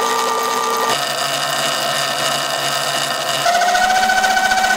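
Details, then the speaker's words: Sur-ron LBX electric bike after adjusting belt tension to about 0.5 cm of play. Smooth electric hum, pitch rising with speed. Belt whine is mostly gone, leaving faint chain ticking; the belt drive sounds normal. "as you can hear most of the belt sound is gone and the bike sounds a lot less winey"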